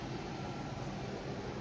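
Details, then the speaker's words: New Silvercrest PD-8871 portable air conditioner, 7000 BTU, R290, finally entering cooling mode, power rising to about 645–650 W, near its rated draw: steady low hum with even fan rush, no knocks or rattles; normal compressor running at full load. "Da acuma se pare că a început în sfârșit să intre în regim vedeți cum cresc va ții"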